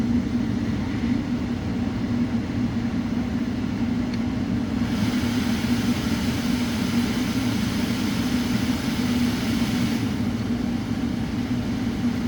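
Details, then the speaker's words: 2008 Ford Focus 2 facelift heater blower fan, which had been squeaking, after removal, dust cleaning and WD-40 lubrication of the motor: smooth, even drone at higher speed with no squeak, chirp or rubbing; normal blower fan operation after repair. "проверяем включаем тишина скрипов нет свисток нет работает ровно добавляем обороты"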